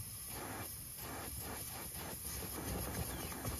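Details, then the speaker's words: Broan packaged R-410A air-conditioning unit not cooling, system lost its refrigerant: a steady, audible hiss over a low rumble, worsening when the capillary tube is moved. The gas escapes from a rubbed-through copper capillary tube behind the coil cover. "all right well we have an audible leak right now I started moving this capillary tube a little bit and it got worse still don't see it though all right it's behind here I can feel it it's a rub out"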